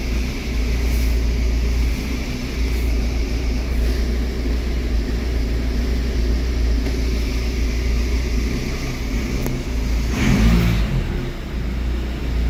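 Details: Audi A4 B7 after water damage no-start/no ECU communication repair: even, steady engine drone with a brief clean rev near the end, no misses or knocking; runs normally.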